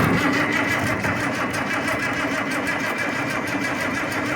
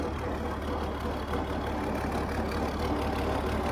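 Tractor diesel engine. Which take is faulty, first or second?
first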